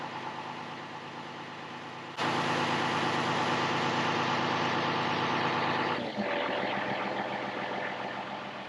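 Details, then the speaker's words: John Deere 7520 tractor after full oil change and new filter: steady, even diesel idle with a smooth regular beat, no knocks or misses; running great. "Full oil change, new filter, the whole works. She is running great and ready to put to work."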